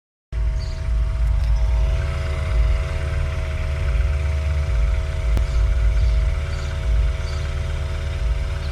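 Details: BMW N20 at cold start after new oil pump and timing: steady mid-pitched buzz over the idle, unchanging throughout; owner suspects oil pump or balance shaft, source unconfirmed.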